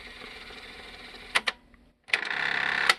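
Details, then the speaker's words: Jensen CD-550 boombox cassette deck fast-forwards fine but won't rewind: short motor whir bursts with sharp clicks and dead pauses, the reel drive seeming to slip, with no tape chewing. A different cassette later rewound fine, so the tape was likely inserted incorrectly. "it doesn't want to rewind. Well, at least it's not chewing the tape up, so that means the take up reel isn't getting caught."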